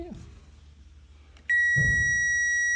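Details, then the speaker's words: Motorcycle ignition wiring damaged by an attempted hot-wire; power probe at the battery gives one clean high beep confirming voltage, reading 11.8 V. "But let's see if we got power on the battery, and it should tell us how many volts. Listen for the ding ding."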